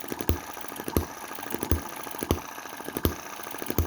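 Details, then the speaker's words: Cheap Chinese M19/EM2 hit-and-miss engine, one month in, carburetor inlet reduced with metal putty and adjusted/tightened, started from cold without pre-warming: sharp firing pops about every 0.7 seconds with soft mechanical clicks while coasting, clean healthy hit-and-miss rhythm. "and with this adjusted and tightened up we're getting quite a good hit and miss..."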